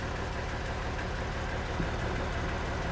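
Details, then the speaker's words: Jeep in cold Colorado mountains: steady low idle with a slightly uneven loping beat, no clean rhythm; idling super rough and struggling uphill, cause not pinned down. "I don't know if you can hear it, but it's idling super rough, and it's having issues when we go up hill."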